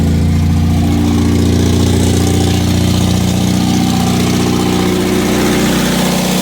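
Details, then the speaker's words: MGB that lost power above 3000 rpm at highway speed, fuel filter just changed; uneven lumpy wavering idle needing choke to stay running; rough idle from a collapsed vacuum line leaking air. "okay i changed the fuel filter but um it wasn't this car was not holding idle it was it was awful"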